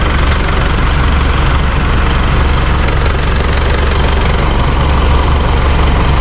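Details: Isuzu D-Max iTEQ diesel at idle, heard from outside while a helper presses and releases the clutch pedal: heavy even rumble with a rough gritty edge, smoother with pedal pressed, rough again when released. Gearbox removed; cause was a loose clutch disc, old lining replaced with new.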